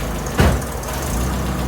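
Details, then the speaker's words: Toyota Tercel, reinstalled 3A-C engine, first start with coolant added, valves not yet adjusted. Quick crank, catches and settles at once into a steady, even idle with no misses or knocks, not loud. Started really good. "It won't hurt. That's not loud. Wow, that started really good."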